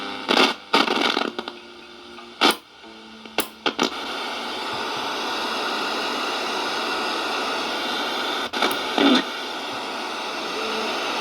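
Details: Previously dead radio after repair, tested on mains power: crackling bursts while tuning, then a steady hiss of reception with no hum or dropouts; the receiver is working properly.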